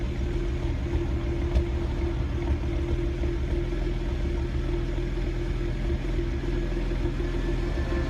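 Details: BMW Z4 35i cold start: low, rough uneven rumbling idle with misfire and poor start; the six injectors were found leaking into the cylinders at rest and ordered under warranty.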